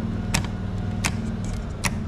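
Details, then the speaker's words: Duromax XP16000IH portable generator as house loads incl. central AC are switched over: steady low drone with sharp switch clicks, revs lift slightly and it carries the loads smoothly, running normally. "all right so now you can see everything's running on the generator right now as we speak the house breaker is still off"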